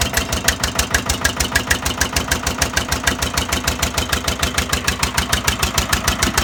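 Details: Old Winget one-ton dumper, sat for many years, single-cylinder Lister PH1 diesel, first run after storage: slow, heavy, fairly even chug at a few beats a second; it runs but smokes and needs work.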